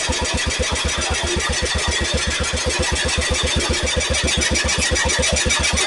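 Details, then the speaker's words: Cub Cadet Original with Kohler K161 single-cylinder after a new head gasket, cleaned carburetor and new condenser: it fires instantly and settles into a steady, even thump with no popping or backfire, so it runs healthy. "I was going to adjust the points but my God it just it just literally lit off and no popping no backfiring"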